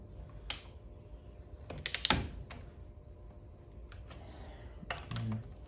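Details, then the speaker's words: Click-type torque wrench at 25 ft-lb on Briggs engine crankcase cover bolts in star pattern after new gasket: short sharp clicks among quiet ratcheting; wrench breaking over at set torque. "Hear the click. Like always, make sure they're torqued. One thing I don't like about these click type torque wrenches is how the less torque you have on them, the harder it is to hear the click."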